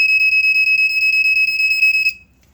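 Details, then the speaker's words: Second smoke alarm model, test button pressed via tab onto silver plate: loud high rapid pulsing shriek about two seconds then cuts off; pulse slightly slower and lower pitched than first, takes a second to go into alarm. "however pulse is a little bit slower and is a little bit lower pitched and it has a much slower or a much faster start time when you press the button this one takes a second to actually go into alarm so that's very interesting"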